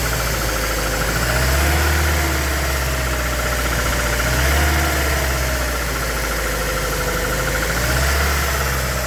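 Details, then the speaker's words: Petrol Ford Transit van after intake leak repair, leak fixed: idle with an uneven stumbling beat every few firings over a steady drone; misfire, suspected at spark plug one or its lead, not confirmed. "all up and running we've got no leaks but we have got a misfire so um I think spark plug one"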